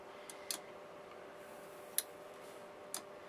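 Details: Emotator 105TS antenna rotator control box after replacing worn elastic drive band for direction indicator: a few sharp ticks at uneven intervals over faint hum, about forty a minute; indicator turning normally.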